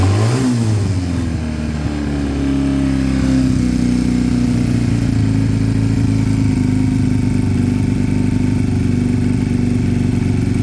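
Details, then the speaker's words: Piaggio Fly scooter after fixing two split pipes, no choke, idle being set while listening for hissing: after a blip the idle drifts slightly up and down, still hunting and staying high; owner suspects an air leak. "no still a little bit up and down there still still a tiny bit um got to be an Eary it's got to be but stays High"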